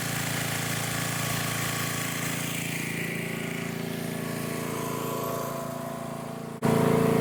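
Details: Old junk-pile generator small single-cylinder engine after carburetor replacement and gas cap gasket cleaned, still leaking slightly: steady even drone, constant speed, no misses or surging, brief load shift; normal running.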